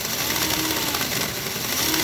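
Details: Magna Rossa Fat model train motor on a rolling road at 1.5 V and 0.35 A, after brushes were cleaned and polished (draw down from 3 A): high, smooth, even whir with no scraping or stutter, spinning freely.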